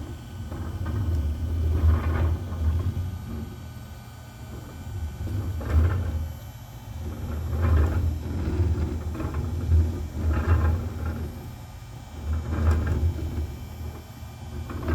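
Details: OneFinity Foreman CNC table cutting arcs with X and YB axes moving together: low rumble swells and fades about every two seconds, absent when either axis moves alone; cause unknown, owner unsure if normal or failing.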